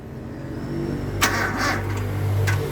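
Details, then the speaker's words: Toyota gasoline engine with new battery fitted: starter turns slowly, labouring with dull low drone before struggling to catch; hard starting, alternator charging 13.8 V. "Ayun hard starting. Hard starting kanyang starter."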